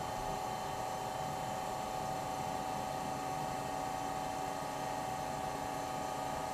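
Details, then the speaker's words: Old GE Monitor Top refrigerator CK-2-C16 sealed compressor, charged with three cans R152A, high side about 175 psi: steady low hum, no knocks or rattles; evaporator cooling, motor load dropping; normal run. "That's getting warm. That's encouraging. It's more than it did yesterday. It's a different noise."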